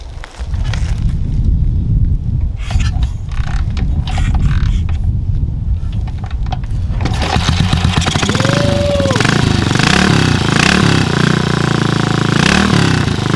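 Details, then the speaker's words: BSA 441 Victor single-cylinder with a Mikuni carburettor, kick-started after the carb float bowl was removed to clean a suspected clogged pilot circuit: it sputters, then settles into a steady, even thump. Normal running. "We got another old British bike running, and that is one of the best feelings ever."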